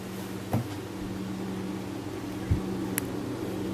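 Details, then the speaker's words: Gaming PC after hardware upgrades, listened to with most case fans unplugged: steady low drone, faint airy whoosh and a couple of light clicks; the front fans seem loudest, with some noise coming through an open drive bay. "Can't really tell what's making the most noise, really. These front fans sure aren't quiet, really."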